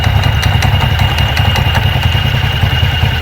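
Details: TVS Ntorq 125 BS6 scooter at idle with CVT case open: fast uneven light slapping, two or three a second, over the idle hum as the loose drive belt moves in and out; belt slap from worn variator rollers.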